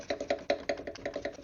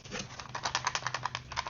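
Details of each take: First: Jeep Wrangler JK radiator fan, removed and spun by hand, gives a loose, uneven clatter about five times a second, the "gurgle" heard while running; owner suspects a worn fan motor bearing. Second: New cooling fan assembly for 2012-2018 Jeep Wrangler JK, replacing fan blamed for gurgle, spun by hand: only light uneven ticking rattle from loose clips; fan itself quiet and smooth.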